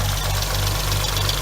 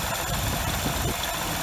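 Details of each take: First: 2006 Hyundai Tiburon 2.7 V6, 6-speed manual, even idle with a fast, light ticking steady on top, from clogged, oil-starved hydraulic lash adjusters; adjusters, timing belt and water pump replaced, removing about 90% of the ticking, remainder thought injectors and throwout bearing. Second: 2006 Hyundai Tiburon 2.7 V6, 6-speed manual, idle after replacing hydraulic lash adjusters, timing belt and water pump: even, steady low rumble, about 90% of the former ticking gone; owner suspects remaining faint sound is injectors and clutch throw-out bearing chatter.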